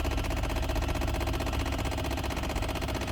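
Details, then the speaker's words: 2008 Chevy Impala, just started at idle: fast uneven ticking about four per second from blend door actuator behind dash, not engine knock; owner says it goes away after a while. "I forget how to make that noise go away, that Blendor. It's gonna go away after a while though."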